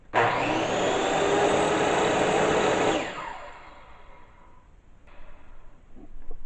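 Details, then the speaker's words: DeWalt 369 circular saw after replacing worn original brushes (about four years of daily use): spins up to a steady, even whine with no speed bouncing, winds down cleanly; sparking now normal instead of heavy, healthy motor. "Now there's just a little sparks. I think a normal amount of the sparks. Before it just sounded bad. It didn't, you hear how when it runs it's like a steady speed."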